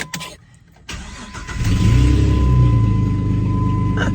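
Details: Jeep Liberty after the factory muffler was deleted and a used muffler temporarily installed, still leaking a little: cranks, catches and settles into a steady, even idle with a deep, normal exhaust rumble.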